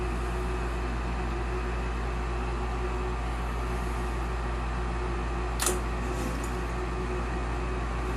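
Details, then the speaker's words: Olsen Ultramax HDS 90M furnace with newly replaced induced draft fan motor, old one had bad bearings: steady smooth inducer hum, one click as gas valve opens and burner lights, heat exchanger warming; normal ignition. "Our gas valve open. Now it's warming up the heat exchanger."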